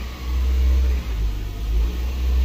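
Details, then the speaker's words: Toyota Prius with very dead battery, double-boosted with a jump box: engine catches and settles into steady low drone, slightly swelling, no roughness; normal start after jump. "she's alive just a really dead battery so sometimes it just takes a double jump on these things because they're so dead"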